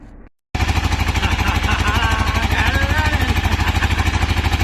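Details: 2002 Yamaha V-Star 650 first start attempt: catches after silence and pulses at a quick, uneven, wavering beat, barely holding on; rough running, owner suspects flooding and a rusty fuel tank.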